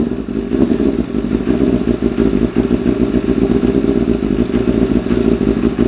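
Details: 1988 Kawasaki ZXR250 road bike, first start of rebuild: loud, lumpy, uneven idle with ragged popping pulses and no clean rhythm; running ridiculously rich, idle mixture set 3.5 turns out, shot flames.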